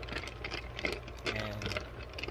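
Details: Lortone 45C rotary rock tumbler after oiling its plastic bearings with 3-In-One oil: light uneven rock clatter over a soft motor hum, no squeak or bearing rattle; running normally.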